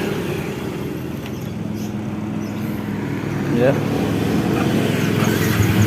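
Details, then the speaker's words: Yamaha New Vixion Lightning (NVL) after head repair with rocker arm work, reassembled: even, steady engine beat, smooth low drone, no ticking on throttle; kletek noise gone, idling cleanly. "ini sudah halus ya teman-teman kita gas sudah hilang suara kletek-kleteknya Ya sudah mantap"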